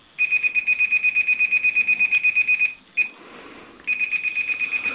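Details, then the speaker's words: SJRC F11 foldable brushless drone transmitter: shrill high beeps about three per second with short breaks, repeating constantly; the controller's normal, annoying beep, worse when recording from the transmitter. "so it's got a really annoying beep. And it really is annoying."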